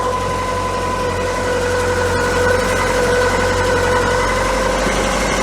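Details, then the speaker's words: VW MK2 Scirocco 8-valve petrol that failed its emissions test running rich and on three cylinders: uneven, lumpy idle with faint irregular stumble while warming up, smoothing when an intake air leak is probed; rough idle from vacuum leak, mounting screws to be tightened. "Much smoother with that, isn't it? That might explain why it was happen to be run rich. It does look like we've got a slight air leak."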